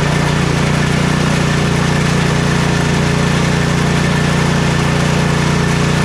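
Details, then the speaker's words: Troy-Bilt Storm 2420 snowblower (model 31AS6KN2B23) after ultrasonic cleaning/rebuild of its Huayi carburetor for won't-start/surging complaint: steady low-pitched idle, regular firing beat around 220 per minute, no surging or misses; smoke is only muffler debris burning off. Normal idle. "well besides the smoking off all that stuff that has been sitting on top of the muffler for so long everything's working properly running good again"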